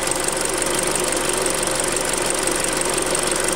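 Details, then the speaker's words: Hyundai Creta at idle before an oil change, at about 40,000 km: fast, even ticking clatter over a steady idle, louder than when new; owner suspects injector ticking and possibly hydraulic lifters, unconfirmed. "То есть, вот цокот форсунок вот здесь, вот тут цокот форсунок. Ну а здесь, наверное, гидрики уже."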